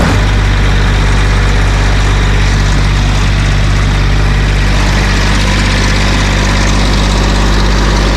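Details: GR2100 machine with a straightened (unbalanced) driveshaft, started up. Loud, steady, low diesel drone at idle, an even rumble with no knocking or grinding; normal idle.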